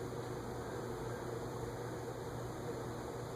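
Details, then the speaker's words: CEC 36-inch industrial ceiling fan on a solid-state speed control drawing 0.36 A, bearings still stiff: soft, even airflow whoosh over a low hum with only a faint bearing whir. It runs bedroom-quiet and healthy. "0.36. I don't hear anything. I don't hear anything. I really don't hear it. It's like bedroom quiet."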